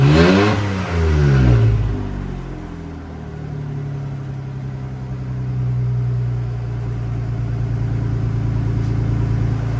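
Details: Ford F-150 after junkyard head swap and resealed intake gasket: brief rev settles into a steady, even idle with no surging or racing; normal running.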